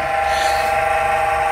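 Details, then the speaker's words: Corsair VS650 650W PC power supply in a 6-7 year old PC, case open: steady fairly high-pitched whine over a soft hum, traced to the power supply fan's dry, noisy bearing. "yeah it's clear it's from the power supply"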